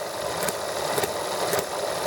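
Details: ETX small model engine on its first startup after a valve job: a light, even idle with a faint regular pulse about twice a second; it started easily and ran nicely for about 10 minutes, normal idle.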